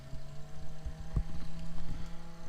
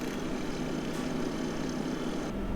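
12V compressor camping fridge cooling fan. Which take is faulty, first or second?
first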